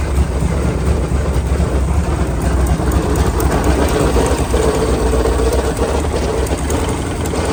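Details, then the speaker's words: Sleek Craft jet boat with a 454, first start after sitting for years, cold: engine runs with an uneven ratchety clatter, about two per second, over the rumble; owner suspects worn U-joints in the bell housing or a worn jet pump, plus vibration. "The biggest problem right now is in the bell housing there. There is some U-joints in there, and I believe they're wore out. Either that or the jet pump is wore out."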